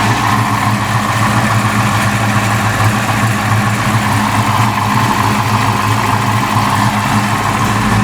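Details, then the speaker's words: Fox Body V8 after new valve seals: the leaking X-pipe at the passenger header was swapped for an old H-pipe. Now an even, lumpy burble at idle with no header puffing or ticking, so the leak is fixed. "Got that schwanked on there, so let's see what this does now. No header leak."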